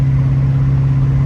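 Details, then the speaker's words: LS-swapped Chevy S10 with a T56 manual, after a failed pilot bearing was replaced with a bushing and the input shaft shimmed: steady low drone and hum while driving in sixth, with the owner describing backlash; runs and shifts fine, cause unresolved. "gear probably can't hear it seeing just like it's got a lot of backlash it's it runs and shifts great"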